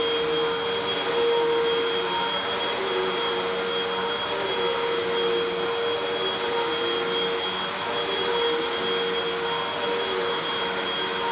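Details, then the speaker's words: 2012 Hoover WindTunnel 2 Rewind UH70820 vacuum, rescued, first run: smooth constant motor whir with steady high tone, no knocking or scraping, smells terrible but otherwise fine; normal running. "oh smells terrible but otherwise seems fine"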